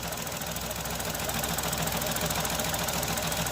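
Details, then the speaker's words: Engine idling after replacement engine installed: light regular knock appears when clutch pedal is released quickly and vanishes when released slowly; crankshaft end play (axial play) knock in bottom end, warranty claim expected. "Vai pisar na embreagem, vai soltar, vai começar o barulho. Quer ver? Se você pisar rápido e soltar, o barulho vem. Se você pisar devagar, o barulho some."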